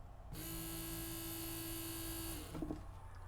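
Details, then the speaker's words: Original fuel pump from a 1969 Mercedes 280SE, sat for decades, bench-tested on jumper leads with impeller removed: smooth even mid-pitched whir for two seconds, stops cleanly; motor spins freely, sounds healthy. "sounds really good, doesn't she? That I'm loving."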